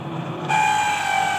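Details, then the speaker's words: Dawlance microwave oven running: steady hum with thin, constant whistle-like whine on top; abnormal sound from cooling fan, dry fan motor bearing. "तो ये abnormal sound है इसका आज इलाज देखेंगे कि इसका फ़ॉल्ट क्या है।"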